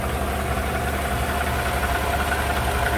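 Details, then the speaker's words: 2015 GMC Sierra 5.3 V8 after replacing the bent #4 exhaust pushrod, rocker bolt torqued 22 ft-lb, new valve cover gasket: smooth, even idle with steady low rumble and no ticking; normal idle. "there it is back together and running again sounds a lot quieter no more ticking"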